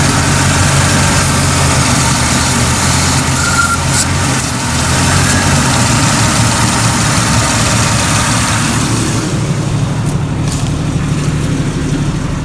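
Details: Jeep XJ idling after the intake vacuum hose on the throttle body, nearest the firewall, was reconnected to restore front vent airflow; steady low rumble with no misses or knocks; normal idle.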